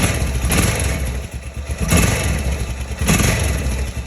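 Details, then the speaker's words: 2005 Honda Rincon 650 after timing chain tensioner replacement; three quick throttle blips rise and settle cleanly with no rattle between them; the former rattle is gone, running smooth and healthy. "sounds smooth none of that crazy rattle at the day"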